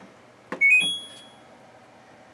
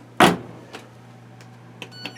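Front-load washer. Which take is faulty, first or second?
first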